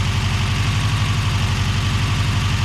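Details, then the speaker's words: Subaru BRAT after engine swap, replacing a rod-knocking engine: steady even low-pulse idle, no knocks or misses; normal idle. "yeah that sounds a lot better than that other one huh yeah all the other was knocking"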